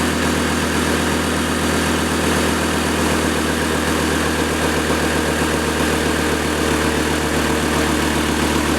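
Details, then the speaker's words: 2008 Chevy Colorado 3.7 five-cylinder after overdue spark plug replacement. The tick heard before the plug change is gone, suspected from the number four plug. Low, even idle rumble, smooth and healthy; normal idle. "so I I had a tick before and it just kind kind of got started I should have started it and let you listen to that tick because it's gone now"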